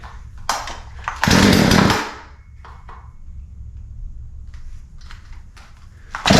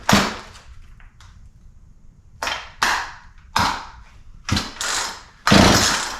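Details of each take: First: Poulan P3314 33cc 14in chainsaw, bought as a non-runner, started after more pulls and stayed running; after clattering and a brief rev it settles into a steady, even high-pitched buzz: runs normally, apparently only fault was chain off the bar; fuel lines hard, primer bulb old. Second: Poulan P3314 33cc chainsaw, 14in bar, bought as non-runner: pulled with switch on, throttle and choke open, carb cleaner sprayed in; quick raspy pull-cord bursts, never pops or catches; no-start, spark check next.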